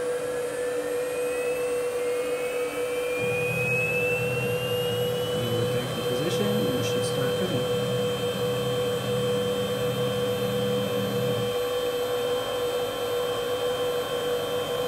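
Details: Gatton CNC router with a 110V 1.5kW water-cooled spindle, inverter and DDCSV offline controller. High whine climbs smoothly as the spindle spins up, then holds a clean, steady pitch with no grinding or rattle; it's running normally.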